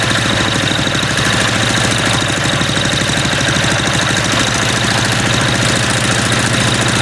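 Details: MTD walk-behind lawn vacuum blower, unused about three years: small single-cylinder engine hammering loud and ragged at a steady fast beat, uneven and harsh, sounding like it might detonate itself; rough running after long storage.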